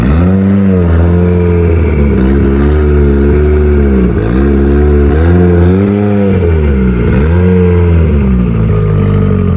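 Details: Mitsubishi Evo turbo build for dyno prep after home upgrades, already driven: crisp start, clean even blips with no stumble, knock or rattle; fires up good, sounds healthy before boost leak test.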